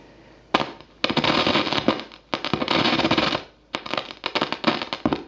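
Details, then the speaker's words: 1980s Peavey Studio Pro 50 amplifier with nothing plugged in: loud irregular crackling and popping bursts from dirty control pots before cleaning. "Uh, the guy told me that it works, but it crackles and pops, and I don't even have anything plugged into it."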